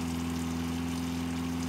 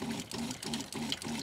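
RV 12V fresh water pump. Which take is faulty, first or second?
second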